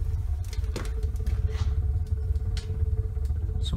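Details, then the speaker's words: Homemade wood-burning garage heater at maximum airflow after a burner change: heavy low roar with uneven pulsing surges and a faint hum, combustion buffeting of unclear cause; to be turned down to about 150 watts. "buffeting has started I think I'm going to turn it down don't like the sound of that very weird"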